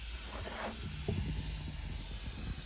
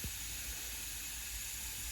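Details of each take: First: Tial MVR wastegate on bench under air pressure (up to two bar, valve fully open): steady soft hiss of air bleeding past the valve stem, which Tial says is normal; gate was removed after boost spiking to 30psi on track. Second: Tial MVR wastegate, bench-tested with air after the car spiked to 30 psi boost with no boost control. A steady, thin hiss of air escapes at the fitting and stem. Tial says stem airflow is normal; a bad part is suspected, not confirmed.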